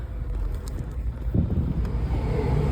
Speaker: And the engine sounded good, 77,800 miles, no warning lights. It sounds really nice.